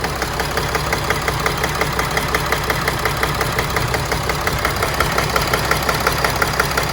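Diesel idles with a steady ticking clatter about twice a second over a low rumble, uneven enough to call a rough idle.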